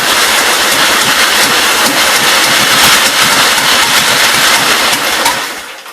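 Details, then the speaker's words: Free 1944 Model L tractor engine catches and runs loud and ragged for about five seconds, then dies; bad fuel, with water in the fuel starving the carb, which needs to come apart. "almost. So it's just got some really bad fuel problems."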